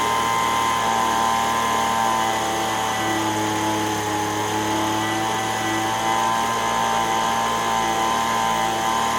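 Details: Echo ES-210 handheld two-stroke blower, 15–20 years old, post-repair for RPM surging: steady high-pitched wail at full throttle without surging or hunting. Tach reads 7,100 RPM, inside the 7,000–9,000 spec. Normal full-throttle run.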